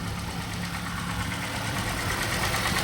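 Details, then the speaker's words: Auction vehicle with 172,000 miles, started cold after a cold night and still warming up: an even idle with a light, quick valvetrain ticking clatter on the hum. This is judged normal for the mileage and nothing unhealthy. "Yeah, she sounds all right. A little clattery, but it kind of sounds normal to me with 172,000 miles. You know, they start making a little bit of noise."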